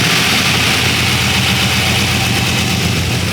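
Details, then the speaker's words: LS V8 in a BMW E46, first start holding about ten percent throttle: loud, busy idle with uneven beat and clattery top end; slight miss on startup, engine noisy while oil pressure builds. "oh my god that sounds so sick sounds good wow it runs it runs it runs a little quick little miss on startup but it sounds great that exhaust sounds really good now the engine's a little noisy it takes a while for these to build oil pressure"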